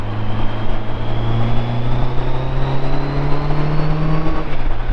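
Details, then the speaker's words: Auction-bought motorcycle, believed inline-four, riding under load: steady drone rising slowly as it pulls through the gear, smooth and even under wind and road noise; normal healthy acceleration. "It's smooth, it pulls great."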